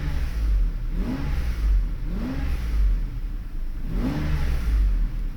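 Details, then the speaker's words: Mercedes V12 with electronic throttle (E-gas), cracked crankcase ventilation pipe causing slight idle fluctuation, loud air pump with worn vanes: four quick, even revs that sweep up cleanly and drop back smoothly; throttle responds normally. "Well, you get the idea. I mean, it does work fine. I have no problems with it."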